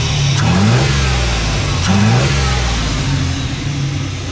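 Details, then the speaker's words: 1991 Ford OBS truck with cheap Flowmaster-style muffler cut in behind the Y-pipe, smokes on startup (valve seals suspected): strong even exhaust note, two quick blips settling cleanly; quiet, healthy idle and rev. "I mean it don't sound bad it's pretty quiet actually [Music]"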